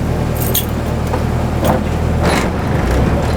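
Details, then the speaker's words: Honda Civic EG hatch after swap to a 6th-gen D-series transmission, driveway test; engine ticks over steadily while first and reverse go in with soft clicks and clunks, no grinding. "Bro, hear that? No grinding. Reverse works."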